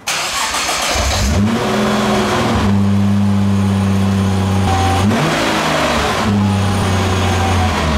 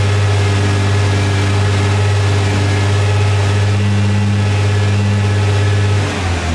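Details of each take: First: R35 Nissan GT-R starting and idling with a coarse metallic rattle that changes when shifted into drive; a badly worn flywheel housing stops the propshaft turning true and shakes the catalyst and muffler. The rattle was gone after the housing was replaced. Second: Nissan R35 GT-R after flywheel housing replacement and transmission solenoid valve work: steady deep idle, even low drone, no rattle or clatter; previous flywheel housing rattle gone, normal idle.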